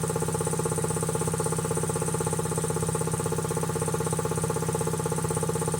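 Steady, even pumping beat around three per second with no knocks or rattles; compressor running smooth and healthy.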